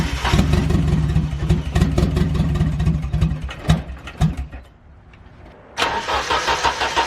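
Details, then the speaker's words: Nissan 240SX with a KA-T engine on its first start after the engine drop, on a new standalone ECU: it catches with an uneven stumbling beat and irregular pops, stalls, and restarts rough. Misfire, with no spark in certain cylinders plus tuning issues. "this took a little bit of time as I definitely ran into a bunch of little hiccups with misfiring"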